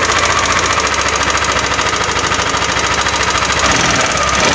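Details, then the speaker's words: Yamaha Aerox scooter, rough engine sound: fast light clatter riding over the revving engine, steady as throttle holds; ticking from loose valve clearance or worn rocker arm bearing. "Nah untuk mengatasi kayak gini sebenernya simple Bang kalau untuk mengatasi suara kletek-kletek kayak gini itu bisa jadi dari Hai di sininya nih setelan klep nya renggang ataupun bisa juga dari rocker arm nya itu biasanya mengalami oblak"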